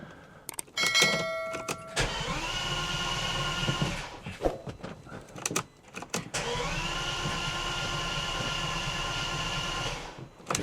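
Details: Bentley Continental GT, unused since 2017 and left in a field for 3 years, after an oil pressure sensor cable was sorted: two long bursts of steady, even starter cranking, but the engine never catches. Crank, no start.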